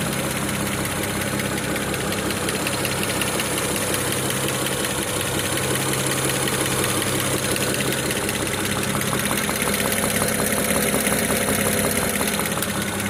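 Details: BMW E92 335i N54B30 engine at idle after 8 minutes of warm-up: a steady fast ticking knock, about three beats a second, rides over the engine hum. There is no knock when cold.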